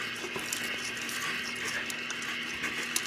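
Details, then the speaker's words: Toilet fill valve replacement: steady hiss with light patter of water running into a bucket; the old water shutoff valve won't close fully and the leak is getting worse. "going to have to do this faster because I can hear that getting worse"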